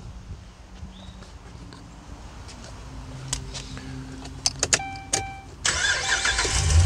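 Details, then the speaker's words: 2011 Ram 1500 with crank-no-start, no fuel pressure, and two fuel pumps already replaced: with the pump manually commanded on, a few quiet clicks are heard, then the engine catches and keeps running steadily. Normal start and idle. "there you go it's running it stayed running"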